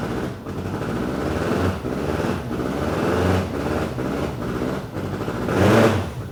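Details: BMW K100 cafe racer project after flushing bad old fuel with fresh: catches and runs with smooth even hum, rising and falling with throttle blips; no knocks or ticks, healthy.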